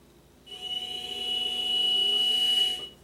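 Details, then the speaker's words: Mini mill after greasing spindle bearings to cure a squeal that came and went, high/low lever in neutral: quiet, even spindle hum with faint steady high whine, then spin-down, no squeal; normal running. "noise is all gone Mills really quiet get I fire up here as you guys can hear"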